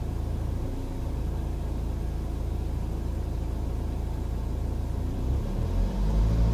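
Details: 2007 BMW 118d with N47 diesel, 151,000 km: deep, steady diesel rumble with a faint pulsing beat around three a second that swells as revs rise; source unclear.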